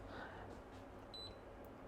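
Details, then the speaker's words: Kaiweets KM601 multimeter in continuity/diode mode: one short, sharp high-pitched beep over a quiet room shows this pin is shorted to ground; this meter gives a short beep for any reading that isn't OL. "on a fluke I'll get a solid beep this whole time on this one I get a short beep so basically anything that's not ol will will beep"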